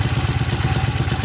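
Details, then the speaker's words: Yamaha Mio M3 scooter with 58 mm oversize piston, reground camshaft and modified CVT, hard starting: harsh rapid ticking and rattling on a lumpy idle from the front of the engine; worn camshaft, rocker arm and valves. "teman-teman kasusnya ini ya teman-teman ya suaranya kasar ya suara kasar sama susah hidup teman-teman untuk kemarin tuh udah udah saya bongkar udah saya cek ya untuk keluhannya di situ ya di area depan ya di rra nya terus di apa klepnya sama di noken as"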